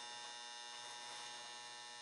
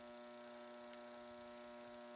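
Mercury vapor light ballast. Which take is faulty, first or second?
second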